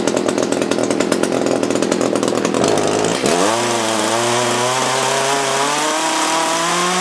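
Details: Echo CS-330T top-handle chainsaw that had not run in years, at high speed all the way: revs up and holds a high buzz, uneven and burbly at the top; old gas suspected; rough running.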